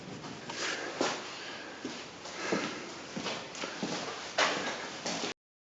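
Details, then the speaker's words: Ford Focus 3, front wheel rocked by hand: sharp hollow knocks about every two-thirds of a second; rack shows fore-aft play; worn steering rack. "Шатаем колесо. Тоже слышится ярко выраженный стук."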